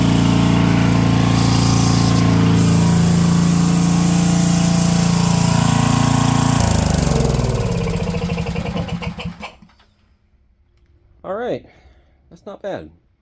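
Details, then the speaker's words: Brushless 10 hp junkyard generator (about 5,500 W), fed by an electric fuel pump and running without its air filter: a strong, perfectly even hum at constant governed speed, then a smooth coast-down to stop. "I hooked an angle grinder up to this thing while that light was running, too, and it still didn't even notice it was there."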